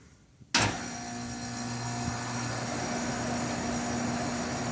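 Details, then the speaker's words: Lennox XC14 3-ton AC condenser paired with a Coleman modulating furnace, rated about 71 dB: a sharp thump or kick at switch-on, then an even low hum with steady fan rush. Normal start, though the kick is loud. "this is relatively quiet from an AC standpoint the thing is that kick did you notice the kick when it first came on"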